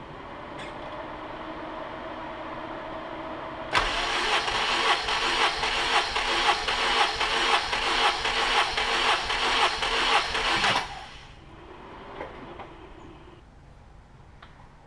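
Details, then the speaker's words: Acura Integra with K24 swap (built head, Kelford cams), all spark plugs removed, compression test during overheating diagnosis: starter cranks steadily and evenly about seven seconds; about 170 psi, healthy. "right so that was about I don't think I stopped it too early about 170 ish sounds about right"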